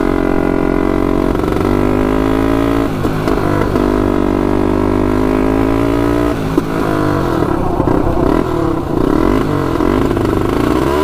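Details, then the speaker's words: 1999 Honda 400EX turbocharged quad, first test ride with oil and fuel pumps: revs climb then suddenly stumble and drop around six seconds, uneven surging after; cutting out under boost, owner suspects flooding, cause unclear. "it just uh it wants to go but right when it hits that boost it uh cuts out"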